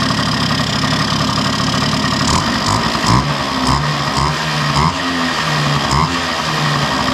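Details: 1971 Yamaha Mini Enduro two-stroke, first start in decades after carburetor cleaning, muffler refitted with washer O-ring; loud steady buzz with throttle blips rising and settling cleanly, smooth and even. Normal two-stroke idle.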